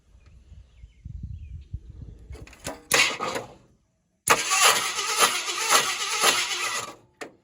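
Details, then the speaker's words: 1976 Ford F-250 highboy farm truck that has not run in 15 years (motor not seized), cranked with no distributor or carburetor fitted: uneven bursts of starter grinding as the engine turns over without firing, so it cannot start. "it uh that's been over now we need distributor and carburetor so"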